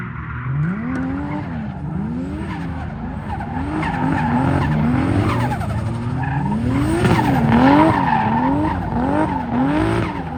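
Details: BMW E36 with 2JZ swap: revs sweep with rough stuttering firing and tyre squeal, misfire now in first and second gears; AFR jumping, running rich; owner suspects it needs a retune.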